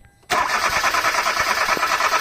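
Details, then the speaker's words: 2012 Hyundai Accent automatic, not started for a week: starter spins the engine at a steady whir but it never catches; weak fuel pump spraying without pressure so injectors can't open. "palit fuel pump mahina sumisirit Siya walang pwersa kaya hindi siya nakaka-open sa injector."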